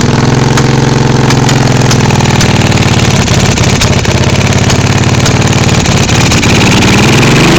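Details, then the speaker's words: 1986 Honda Shadow 1100 V-twin with high mileage: uneven beat with sharp irregular pops through the exhaust at idle and revving, the rear cylinder's exhaust sounding like sucking in and it puffs back through the carburetor; rear cylinder misfiring, cause unknown. "this exhaust here sounds funny compared to this [Music] one this one here sounds like a sucking in cuz the cylinder's missing"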